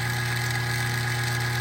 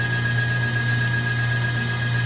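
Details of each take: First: Old kitchen trash compactor, back open, that ran continuously instead of shutting off after overstuffing; motor hums steadily with no load or strain as the drive chain has popped off its sprocket. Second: Old kitchen trash compactor after refitting its popped-off drive chain; steady motor drone and low hum through the ram's return stroke, then it winds down and stops cleanly at the top, working normally.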